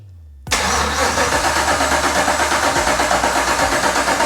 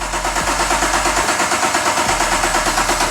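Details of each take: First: BMW 635CSi with swapped 6.2L Gen V LT1 V8 before first start: even, rhythmic cranking at about three beats per second for nearly five seconds, steady speed; starter turns the engine healthily. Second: BMW 635CSi E24 with a 6.2L Gen V LT1 swap and manual clutch, first start, fuel pressure on: even cranking at about six pulses a second, no firing. Crank no start; pressing the clutch pedal in then let it start.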